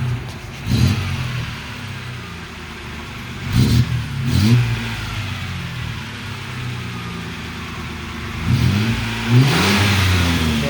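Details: 1987 Nissan Pathfinder after repair of six vacuum leaks, new distributor and throttle body adjustment (previously idled around 2000 rpm with surging): light throttle blips rise and fall cleanly over steady idle, no misfire or stumble; runs great now.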